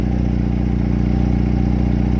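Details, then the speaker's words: Mercedes SLK 230 idling with loud, deep exhaust drone and rapid even pulsing at the muffler despite extra muffler and steel wool in rear muffler; owner suspects a leak, possibly rear side, not found. "I added some extra Muffler and and some uh steel steel wool inside the rare muff but still this car X is very loud I think it is leaking from somewhere"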